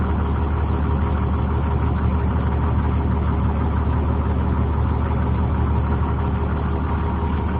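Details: 2003 Blue Bird 26-foot short school bus camper, International diesel engine, automatic transmission, listed 200,000: deep even diesel rumble with steady low beat and no knocks or misses; normal smooth idle.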